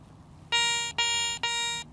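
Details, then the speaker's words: Garrett 300 metal detector air test on an old silver dime: four sharp steady high-pitched beeps about half a second each, target ID 85; normal high-tone response. "Old silver dime. 85, just a little bit difference in the numbers there."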